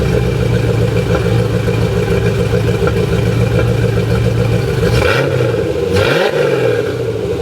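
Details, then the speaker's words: C4 Corvette V8 with the front cats deleted and a straight-through exhaust: uneven popping idle, then two revs. After a valve job, a too-tight rocker arm holding a valve open is suspected; it idled smooth after the valves were adjusted. "So, I'm pretty sure since it sounds like a burnt valve and I did a valve job on it, that one of the rocker arms is too tight. They're holding the valve open. So, it's popping."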